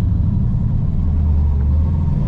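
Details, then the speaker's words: LS-swapped Nissan 240SX S13 on its first drive: fine when cold, but once slightly warm the deep V8 idle swells and sags in a crazy surge; no surge in gear, and idle is also high. Cause unknown. "but as you can tell once it warms up just a little bit it's got this crazy surge to it hear that when you start it up at when it's cold it's fine"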